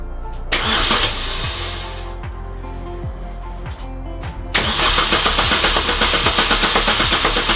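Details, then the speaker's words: Salvage-rebuilt Mini Cooper R52 first start after full rebuild with new belt, clutch and redone sump gasket: short crank, catches cleanly and settles to a steady, even idle under music; sounds healthy, much better than before. "i thought i'd never hear that car start then she sounded a lot better especially with our new belt"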